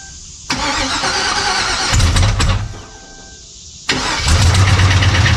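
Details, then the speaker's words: Chevrolet Silverado 4x4: the engine starts with a heavy knock at about three per second that quiets when off throttle, so it runs semi-okay; a knock sensor issue is also pending. A broken flexplate (flywheel) is suspected. "Okay. So, now you heard that noise and you notice it quieted right on down. So, uh as long as I wasn't putting any throttle to it and uh and then it wanted to run semi okay."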